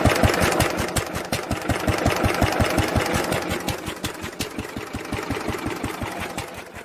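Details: 1946 International LBBR 3-5 hp hopper-cooled engine off a hay press, with a homemade glasspack muffler fitted: regular muffled exhaust pulses near 165 a minute, even and slowly softening; normal running.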